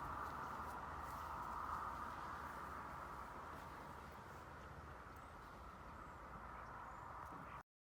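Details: FUXTEC FX-LBS126P leaf blower (2018) that would not start, after replacing a cracked fuel intake hose: small two-stroke at a steady, even idle with faint fan hiss, no stumbling or surging; sounds healthy.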